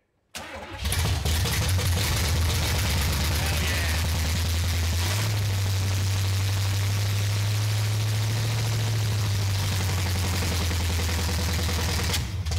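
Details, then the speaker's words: 1970 Oldsmobile Cutlass V8, first start after about 15 years sitting: brief crank, then catches and holds a loud, steady, deep burble with slight rise mid-run; timing in the ballpark, starts and runs fine. "It runs. This thing runs. I don't know if the cam is fresh, but like fired up, it runs. It sounds like the timing is in the ballpark. That's awesome. It sounds like a boat."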